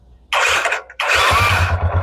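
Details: Bajaj Discover 150 after its sensor-based automatic electromagnetic choke was rewired to a manual switch, choke off: short crank, then firm catch into a steady even single-cylinder idle; starts cleanly without the choke.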